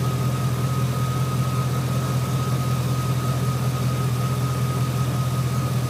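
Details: 2003 GMC Sierra SLE 4.8 L V8 idling after fitting used remanufactured 105 A junkyard alternator, about 13.2-13.5 V at battery: steady even low idle with faint constant whine, no knocks or misses; normal healthy idle.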